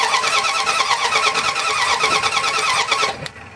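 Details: Dodge Ram 1500 5.2L that shut down while driving: steady cranking at fair speed for about three seconds without firing, a crank no start. A spark tester on the coil wire to the distributor shows spark is present.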